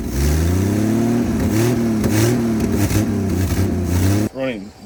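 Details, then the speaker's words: 1959 Ford Edsel V8, sat over a decade, revived; massive vacuum hole, engine wants to idle but not pulling fuel. Revs unevenly, pitch wandering and stumbling instead of climbing cleanly; lean running from vacuum leak. "he already wants the idle that is a massive hole I don't blame the Casal also we're not pulling fuel so that's cool as well"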